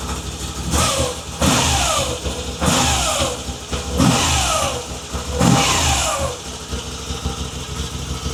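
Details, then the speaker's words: 2021 Moto Guzzi V85TT after timing chain tensioner replacement, first start before reassembly: twin takes five clean throttle blips, revs rising and falling smoothly with no rattle or clatter; sounds as it should. "So, here we go. That sounds how it should sound."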